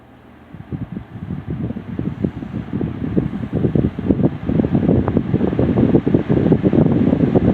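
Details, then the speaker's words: Lasko Premium 3723 box fan, made late 1999 with the Marco motor, thrift-store find not yet serviced: spins up with an uneven whoosh and faint rough flutter. Dry bearings, needs oil. "So, yeah, you saw how quickly that came to a stop. This thing is definitely going to need some oil."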